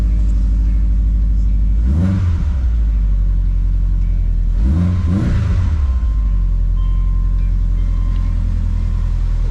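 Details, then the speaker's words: 2005 Subaru Outback XT just after Stage 4 install (Blouch 1.5 XTR 10cm big turbo, Tomei unequal-length header, boost control solenoid lines re-routed), untuned first start: deep steady idle, two quick clean rev blips, much louder and revs quicker, no leaks; normal revving. "Now it's time to fire it up and see how it runs. Oh yeah. That header makes it much louder than I remember."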